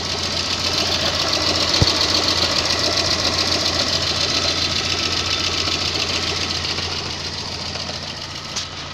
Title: Стук двигателя Ваз 2110 в прогретом состоянии, что может быть?